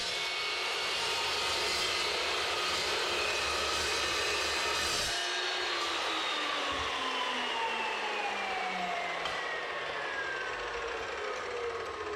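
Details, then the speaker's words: Evolution S380CPS metal-cutting saw, warranty replacement unit: blade whines steadily, pitch falls evenly as it bites and spins down; clean cuts with no shudder or wobble, unlike the vibration of the original saw. Normal cutting operation. "so yeah some nice clean cuts on the material and Berkeley no vibration like I was having before"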